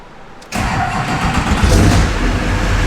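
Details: Duramax diesel in a K20 truck build, started: quick crank that catches at once and settles into a steady, even diesel clatter with no misses. Normal, healthy start.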